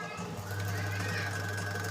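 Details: Local 220 V, 1440 rpm cooler fan motor after bush replacement: steady mains hum with thin whine and fast light kit-kit ticking; motor runs hot and risks burning out; motor ticking after bush replacement.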